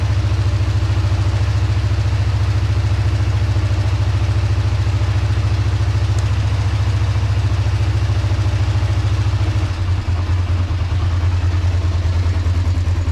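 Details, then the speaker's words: 2005 Kawasaki Ninja 500R, sat 10 years, after new carbs, tune, synchronization and oil change: steady even low warm-up idle, smooth regular beat, no ticks, knocks or hunting; sounds really healthy. "Sounds really good, man, with those new carbs and that tune and synchronization. It sounds really healthy."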